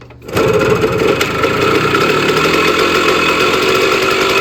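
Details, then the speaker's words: 1965 or 1966 Sears Sabre 50cc two-stroke motorcycle, first start after about 45 years, carburetor cleaned with compression, fuel and spark confirmed: it catches and settles into a fast, even buzzing rattle with no misses. "Let's try and fire it up because we have compression, fuel to the carburetor, and spark."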